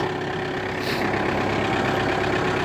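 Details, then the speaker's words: 1999 Audi A4 Avant 1.9 TDI diesel, first start after weeks buried in snow in very cold weather: a steady, even diesel clatter at idle with no misses or knocks; normal cold idle. "diesel engine starts for the first time [Applause] yeah she's on nicely sound I think she's perfect she's old but gold"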